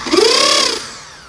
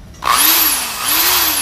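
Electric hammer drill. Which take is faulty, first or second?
first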